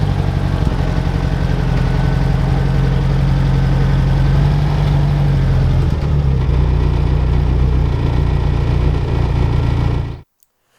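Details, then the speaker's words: UAZ 469 (old, modified) idling after its first restart following a long period sitting unused; steady low even burble for ten seconds before shutoff, no misses or knocks; owner thinks timing not quite on but close. "wow I do not expect that barely making any noise so for how rough these engines are made they are running surprisingly smooth and pretty quiet"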